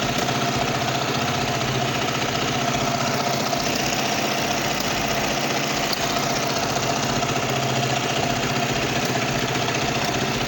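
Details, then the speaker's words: Kawasaki Vulcan 500 twin during carburetor synchronization, vacuum gauges equal: uneven idle, wandering pace, faint irregular pops and backfire flashes from right exhaust, which is colder than left; suspected partly clogged low-speed (pilot) jet in that carburetor, unconfirmed. "lo que estoy viendo es que está haciendo fogonazos por el escape aquel y vale Este escape justamente el derecho justamente el derecho está más frío que el izquierdo"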